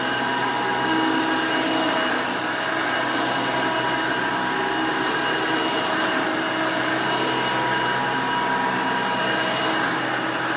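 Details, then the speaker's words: 1990 Hoover Elite 200 U4467 vintage upright vacuum, 5 amp motor: loud, steady, even motor roar with high airy whoosh, no rattles or surging; runs pretty good, healthy. "now typical elite fashion this thing is pretty loud when it's running"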